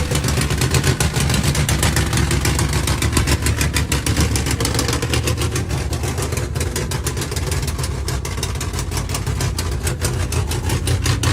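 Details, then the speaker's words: Holden VN Calais build, first start before dyno tuning, base settings being set: steady deep idle with fast even pulse and strong low rumble, no knocks or misses; engine idling cleanly. "It's such an awesome sound just to hear it idle for the first time."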